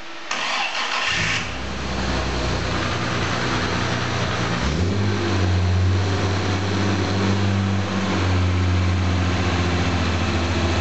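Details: Jaguar E-type independent rear suspension on a test rig out of the body shell, engine started and run in first gear driving the IRS; steady run with no metal-to-metal grinding or knocking from diff or drive shafts; normal drivetrain running, to be retested once refitted.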